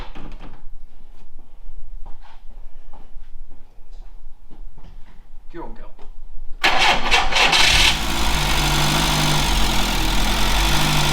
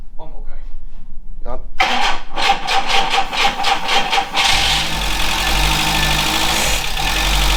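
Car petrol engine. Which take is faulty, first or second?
second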